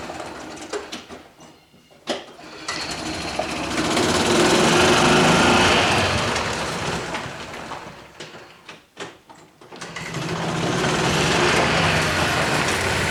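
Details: Club Car golf cart, stored 4 years, after water was worked out of the system and a water-seized pivot point was believed to be the cause of quitting: steady even single-cylinder beat rising and falling as the cart pulls away and slows, normal running.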